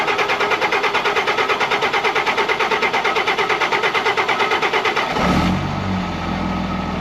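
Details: 2005 Ram 5.9 Cummins diesel with FASS lift pump, after pre-filling the water separator and fuel filter to full: steady cranking at about three beats a second for five seconds, stops without firing. The filter was found low again, so the pump is not pumping or can't keep up; fuel starvation.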